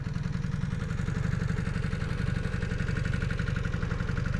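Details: 1986 Honda CB250N Super Dream twin, rebuilt after sitting 38 years, in neutral with no leaks: an even, rapid low putter of about three beats a second with no misses, knocks or rattles, a normal healthy idle.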